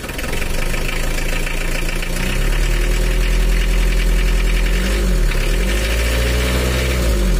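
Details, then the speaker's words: Old Mitsubishi L300 diesel at idle: uneven, lumpy, knocking clatter. Inspection found a worn timing gear (equivalent to jumped timing at top) and worn camshaft lobes shifted some millimetres, causing the rough sound; both are to be replaced. "Untuk gigi timingnya itu sudah aus, ini sama aja dengan lompat untuk topnya. Dan yang menyebabkan suaranya nggak enak itu juga ininya, sepinya udah kalah ini."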